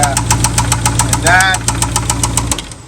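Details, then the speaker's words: Jeep Grand Cherokee Trackhawk Hemi V8 at idle: sharp heavy bottom-end knocks about three and a half per second, increasing when revved; rod knock from rod bearing failure. "Okay, so we got it started and she is knocking. Oh, yeah."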